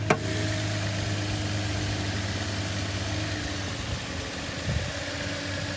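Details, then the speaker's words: Subaru with 154,000 miles at auction startup: even, steady idle with a low smooth hum, no knock or misfire; runs fine and sounds good, though a couple of signs suggest something may be up. "the car runs fine it sounds good just a couple kind of signs that's something maybe up"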